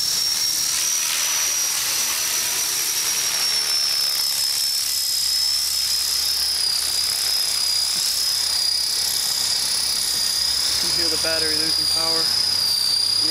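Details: Trex 450 RC helicopter after crash rebuild with metal head and tail mod: high steady motor whine slowly sinks in pitch during flight as the battery runs down and rotor speed drops.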